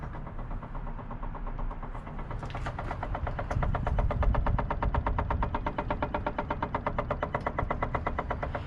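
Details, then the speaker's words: 2016 Case 590SN 4x4 backhoe loader diesel idling with a steady light tapping knock, nearly three per second; source unclear, seller only guesses fuel pump or fuel pressure and notes other units sold never had it. "fuel pump maybe I don't know I don't know we've sold quite a lot of these things here at the auction sale and I can't remember any of them having that knocking sound but whatever that sounds like it could be like a fuel pump pressure I have no idea"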